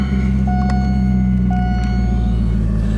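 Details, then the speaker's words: 2002 C5 Corvette 350 hp LS1 V8, automatic, 83,230 miles, oil pressure about 40 psi, no noises, ticks or leaks: deep, steady rumble holding one even idle speed without stumbles or knocks; normal idle. "car has 83,000 230 miles on it psi right at 40 this car is equipped with the 350 horsepower ls1 engine has no NOx or ticks or leaks"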